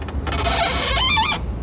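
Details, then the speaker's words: Kukirin G4 electric scooter whose steering head bearing came ungreased from the factory: steering locks and clicks, with a dry one-second squealing creak and heavy force needed to turn the bars. Greasing is the fix. Dry steering head bearing. "this staring on the kakur and G4 is just so scuffed it's like locking up and clicking and now it's un steerable if you can hear that it's taking a lot of force"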